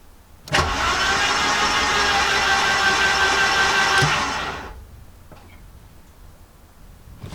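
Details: Garden-find Mercedes-Benz 190E turned over on the key with spark plugs removed after long storage: quick, even starter whirr for about four seconds, no compression pulses or scraping; oil pressure gauge rose while cranking; free cranking.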